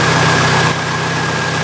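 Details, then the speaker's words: Jeep 2.5-liter four-cylinder idling smoothly after replacing the rocker arms and pushrods for a ticking noise and then replacing a squealing belt: even idle, no ticking or belt chirp. "I don't hear any noise. Besides the belt, by the way."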